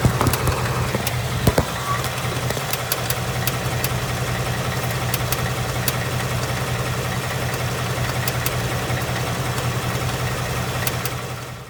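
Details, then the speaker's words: 2018 Ford Mustang GT third-gen Coyote V8, about 6,000 miles, on its third short block, idling: sharp, slightly irregular ticks over a steady idle; teardown of an earlier engine found excessive piston slap and cylinder wall damage causing the tick. "I have this tick. I have the coyote tick, the barbecue tick, whatever you want to call it."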